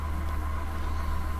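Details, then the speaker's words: Acer Aspire E1 laptop fan before cleaning: a steady, heavy vacuum-cleaner-like whir with a thin whine and crackling. Cooling is clogged, likely with hair tangled in the fan. "послушаем как он работает как пылесос вот так он трещит что-то с вентилятором на мир спасти"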